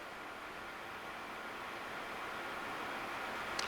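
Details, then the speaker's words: 2007 Kingston HR3000 34"/46" x 120" gap bed engine lathe with 4-jaw chuck, mic on the presenter: quiet, even hiss-like whir with no knocks, rattles or grinding; spindle runs smooth and healthy. "Very, very, very quiet machine. Sounds really good."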